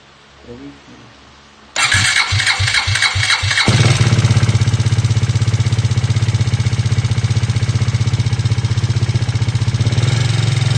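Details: KTM Duke 390 V2 after a repair: fires and idles with a loud, rapid metallic clicking/rattle, louder on the left and rising with revs; low oil pressure because gasket maker blocked the head oil passage feeding the camshaft spray nozzles.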